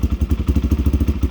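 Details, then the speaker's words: 1987 Honda XL250R RFVC single, barn find that sat for years, on fresh gas, right after a first-kick cold start: even thumping at roughly twelve beats a second, steady with no misses or knocks; running normally. "wow this thing's been sitting that long and i put fresh gas in it and started right up i can't believe it"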